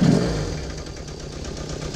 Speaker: seems to be idling smooth so I guess everything mechanically is pretty strong with the bike